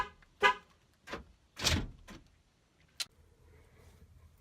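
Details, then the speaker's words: 2003 Ford Windstar SEL power sliding door after replacing the whole lock mechanism, which had been grinding. A few short, clean clunks and a horn chirp with no grinding; normal lock actuator operation. "all right so there we go mrs. s can have a minivan back and a functioning no more grinding"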